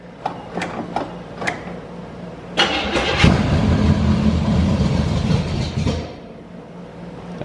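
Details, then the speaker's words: 1982 Chevy G20 van, first start after heads, 268 cam, timing chain, intake, carb and headers: steady rhythmic cranking about four beats a second with no catch; not getting fuel, fuel leak found, timing suspected very late. "We're still We're still not drying fuel, so Yep."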